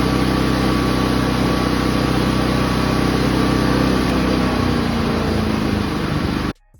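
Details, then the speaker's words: Inverter generator after carburetor cleaning and reinstall, previously surging: constant, even engine hum holding one speed with no hunting or surging, then shut off; normal steady run after repair. "Generator is running smooth, like new. No surging whatsoever."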